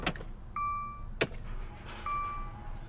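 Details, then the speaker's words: Flood-damaged 2013 Dodge Dart after a powertrain swap, first key-on. Two short steady electric hums, about a quarter second each, as the key is cycled; the fuel pump primes normally. "I hear the fuel pump going. That's good."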